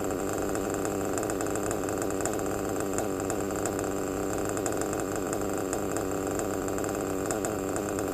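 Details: Novarossi Roma 25 nitro RC car engine after turning the high-speed needle about 1/8 turn: fast, even, high buzzing idle holding steady with no stumbles or surging; two-stage idle corrected to a clean single-stage idle.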